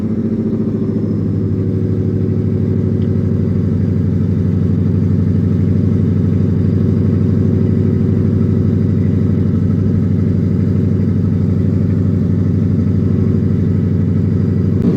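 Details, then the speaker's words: Ford F-150 with an aftermarket cam, fully warmed to operating temperature, AC off: the V8 revs up on its own and holds a raised idle after a throttle blip, still high five minutes later; the idle drops when the AC is turned on; owner blames a bad tune. "Look at it. It's revving up on it own. Still a down yet. Now I'mma bump the gas. Look how it's holding. They ain't out of down yet."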